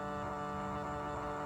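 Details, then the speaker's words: Fahren Forenner LED headlight bulb in a 2012 Chevy Volt: constant buzzing hum with coarse rattly edge persisting even with the fins held; cooling fan defective or out of balance, the other bulb quiet; replacement requested. "i'm holding the fins and it still makes that noise so what i think there is is maybe some quality issues"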